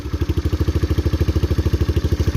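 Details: 1981 Kawasaki KL250 single, probably still cold, idling after valve adjustment, aftermarket exhaust, smokes and burns oil; steady thump with light clatter each beat, valve noise still loud, owner plans to recheck clearances.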